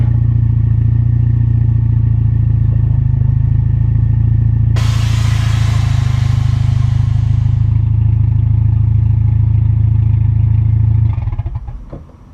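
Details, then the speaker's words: Mitsubishi Evo after sanding the lip off the outer rotor edges to cure seasonal brake squeal: road rumble fading as the car rolls to a stop, no squeal or scraping; brakes now quiet. "So just took the car for a drive, and by the sounds of it, we got it fixed, which is pretty awesome because everything I read, tried to find, they said, well, it can't be fixed."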